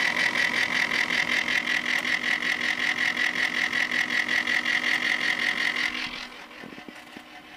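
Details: Corsair H80 liquid cooler pump failing 2 hours after install: intermittent harsh pulsing grind with a thin high whine, throbbing under three times a second.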